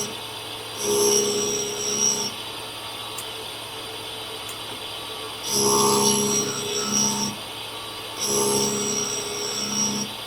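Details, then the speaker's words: CBN wheel on Clarkson cutter grinder forming flats on an HSS spade drill; light hissing rub in repeated passes, faint steady tone, very few sparks, indicating little material removed. Grinding wheel not cutting effectively. "There is very little, if any, sparks coming off this job. And the amount of sparks with high-speed steel normally denotes how much material is coming off."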